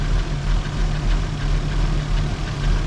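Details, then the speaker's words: 1987 Toyota Supra turbo, first start after 12 years sitting: deep, lumpy idle with skipping uneven exhaust beat, smells rich; misfire caused by two dead fuel injectors. "so basically what's going on is it's got two dead um fuel injectors so that's why it sounds like it's skipping because of the fuel injectors"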